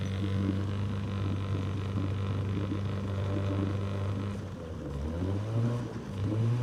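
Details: Outboard on an abandoned jon boat, sat over winter and unknown if it ran, first start attempt in water: steady low drone dipping then climbing smoothly as throttle opens, no stumble or miss; runs better than expected.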